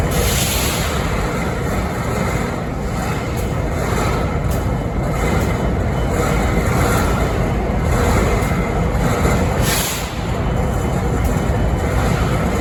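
Heavy, steady diesel rumble at idle with a loose pulsing about four times a second; something odd, but the cause isn't clear.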